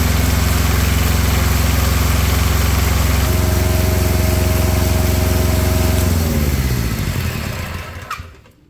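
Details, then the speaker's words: Small diesel auxiliary power unit engine off an old truck: even, steady idle chug, then winds down smoothly and stops cleanly; engine healthy though its generator is likely dead. "I'm I'm quite pleased with this little motor"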